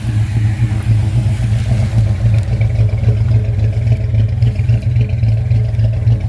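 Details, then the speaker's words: 1979 Ford Ranchero V8 after a carburetor rebuild and jet change: it chugs unevenly with a lumpy low beat and no clean idle. Still running rough; owner suspects serious vacuum problems he cannot decipher. "It doesn't seem to be helping much different. I don't know, it's just still not running right."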